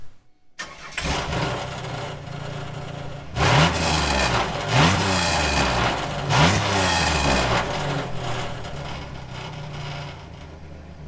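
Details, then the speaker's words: 1997 Chevrolet Camaro 3800 Series II V6: catches, then rough raspy idle with loud uneven puffing blat, exhaust leak worsening daily. "So, that sounds really bad, right? Well, it's been doing that for a couple days and getting considerably worse every single day I drive it."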